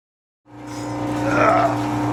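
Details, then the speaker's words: Rock sample mill crushing classified ore. It is normally a quiet hum but now spins up to a loud, inconsistent droning hum with a wavering higher tone, audibly different during wind-up; worn grinding bars. "because it's starting to sound pretty bad right now. I can hear the difference in the wind up when it's spinning. Normally it's just a real quiet hum, and now it's starting to be real loud, and it's not a consistent hum anymore."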